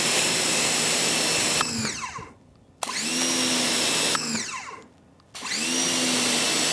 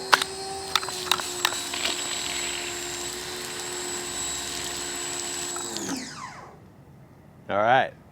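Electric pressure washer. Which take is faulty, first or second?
second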